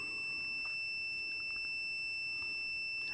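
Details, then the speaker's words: Continuity beep test on a multimeter at 30 ohms, meter reading 34: a steady high-pitched beep holds throughout; this meter reads about six ohms high and stops beeping at 70 ohms. "34. Still beeping."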